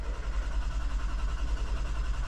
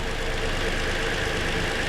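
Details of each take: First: 2020 Toyota Sienna crank-no-start after replacing a blown fuse: long crank with steady low drone, no firing rhythm, then it stops cranking altogether; the fuse blew again, something on that circuit is shorting. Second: 2020 Toyota Sienna brought in for crank-no-start, running during oscilloscope testing that caught a shorted rear ignition coil: a smooth, steady idle with an even low pulse and no stumble or misfire.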